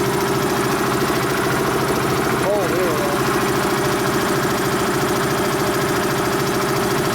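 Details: Dayton 240V 7-1/2hp shop air compressor, after motor, reed and capacitor repair, during pressure-switch adjustment: loud steady pumping thump, roughly three beats a second, over a constant motor drone, having cut in near 132 psi and building toward about 160 psi.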